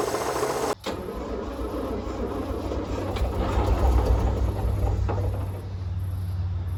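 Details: Roughly 1952 Austin truck, 6-cylinder petrol, first start after maybe 18-20+ years sitting, gravity-fed from a roof tank: sharp catch near one second, then a rough steady low rumble as it keeps running; owner may hear a slight miss.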